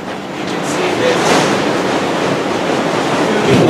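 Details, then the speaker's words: City College greenhouse blower feeding convection tubing with holes on the lower side, drawing fresh air through louvers, just switched on: steady, even rush of air with no knocking, rattling or whining. Running normally. "and then there's holes punched on the lower side which will blow air evenly on each side of the greenhouse and that circulates the air throughout the greenhouse"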